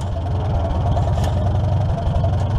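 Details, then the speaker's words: 1947 Farmall M after belly pump service: steady low, even engine thump that sags slightly as hydraulic hoses pressurize and the pump loads up; RPM drop is expected, normal running under hydraulic load. "the RPMs drop when it loads up so that's good everything's working"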